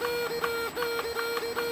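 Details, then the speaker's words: XK A800 RC motor glider aileron servo, plugged in: a thin steady whine with regular stuttering chirps about every fifth of a second while the surface doesn't move. The servo has failed. "I'm going to show you what I mean about the aileron servo. Hold on. So I've plugged it in. This is the sound I'm getting from the aileron servo. Right, nothing happens when I move it."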